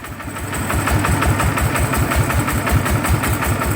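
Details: Yanmar loader diesel just after repair, started up: even thumping at about five beats per second with a hard mechanical clatter, and the gear noise is louder than normal.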